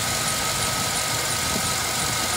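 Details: GMC Yukon/Tahoe V8 after fixing P0300/P0307 cylinder 7 misfire (intake manifold removed, cylinder 7 lifter issue), blower fan on maximum: even idle under steady fan rush, no miss, stumble or ticking; normal idle.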